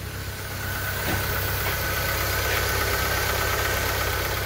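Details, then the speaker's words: VW Fox 1.0 with a top-end noise, engine cold at 29°C with oil pressure near 4 bar: a steady, even idle with only a light uniform tick and no heavy knock; the earlier noise is clearly reduced. "Esse motor batia bastante né ela tem próximo dos quatro bar tá frio ainda mas vamos esperar esquentar mas já de já de cara aí dá para você ver aí a diferença do barulho né"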